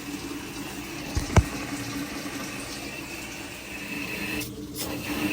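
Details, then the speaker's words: LG top-load washer in quick diagnostic test, step T1 cold fill: soft steady rush of water after one early clunk, no grinding or hum; normal cold fill, no fault found despite reported codes and noise. "T1 it'll fill for a pretty good while with cold and then it will go to T2 and I believe that's"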